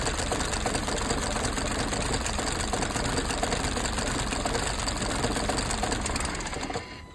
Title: What could be the issue misfiring Audi A5 1.8 petrol P001600 code? #Audi #mechanic #misfiring